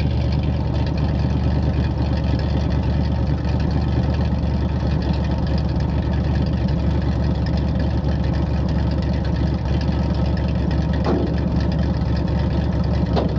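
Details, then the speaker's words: 1968 Chevrolet C-60 farm truck, 327 V8, two-barrel carb, headers and glass packs, four-speed, started on ether after hard cranking: deep, loud, lumpy burbling idle; loud idle through open glass-pack exhaust. "oh it's got headers and glass packs on 327 and a two barrel a phoner - breather"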